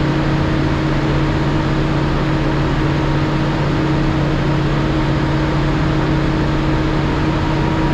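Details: Cummins ISL9 after in-frame rebuild (dusted from poor maintenance; top compression rings on cylinders 5 and 6 were broken): steady, even full-throttle drone. Crankcase pressure used to trigger the stop-engine lamp at half throttle; now no lamp at full throttle, good oil pressure.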